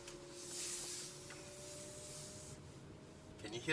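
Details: BYD Atto 3 electric car on extended test drive, heard in the quiet cabin: faint steady humming in two low-mid tones; electric-drive hum, source not pinned down.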